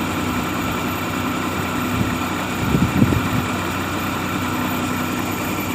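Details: Maruti Omni started and settled into an even, steady idle rumble with no misses, stumbles or knocks, after the check light was blinking with a no-start and the old key was reprogrammed.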